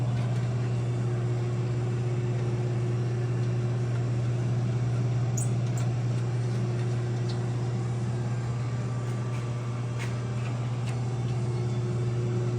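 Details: 1968 Dodge Charger V8 after leaking exhaust clamps and slip joints were welded up: deep, even idle with a smooth, steady low burble, no ticking or puffing, quieter in the cabin and all exhaust exiting the back pipe; normal sealed exhaust.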